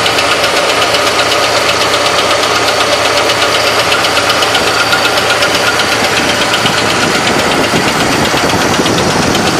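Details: 1970 Chevrolet Malibu small-block 350 at idle: loud, hard, sharp knock about four times per second, like hitting the engine with a screwdriver handle; source not yet found.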